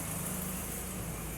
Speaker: right now she's idling really really really nice temperature's holding good it's right at about eight 900 rpm which is right where we want it